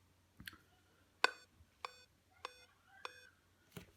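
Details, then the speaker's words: Dell notebook that blinks its lights after the adapter is plugged in and shows no display: four short, evenly spaced startup beeps, a POST error almost certainly pointing to a RAM fault. "şu şekilde duyduğunuz gibi 4 tane kısa bip. Böyle 4 tane kısa bip sesi duyuyorsanız Dell marka notebook bilgisayarlarda ne yapacağımıza geçelim şimdi bu sorunu çözmek için."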